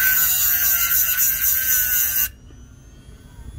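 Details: Hard-disk (HDD) motor with a 6 cm diamond disc cutting a hardness-7 stone dry under pressure: a steady high-pitched gritty hiss as the disc bites, the motor holding speed, then going quiet; healthy.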